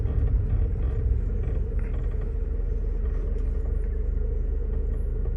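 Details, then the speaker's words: 1989 Honda Civic EF hatchback driving after its speedometer cable was lubricated with white lithium grease to cure a slight grinding whine: only steady road rumble and engine drone, with no whine rising with speed. Finding: normal running with no speedometer cable whine. "I think we uh solved the issue. and of the speedometer cable making noise when I drive."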